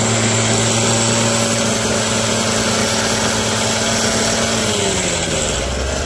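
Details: Abandoned roadside two-stroke hedge trimmer, revived with parts on hand (crusty fuel lines, disintegrating air filter addressed, mixture screws to be set with filter in), cutting a hedge: steady raspy high-rev buzz, no misfires or bogging; noisy, vibrates, dull blades, but healthy under load.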